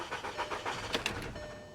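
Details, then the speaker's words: 2013 BMW 328i salvage-auction car listed as starts but doesn't drive, on a jump pack: quick even cranking beats about seven per second that trail off without catching, which sounded unhealthy; cranks but won't start. "ooh that didn't sound healthy that uh that doesn't sound good let's give her a little gas nope that didn't sound good either"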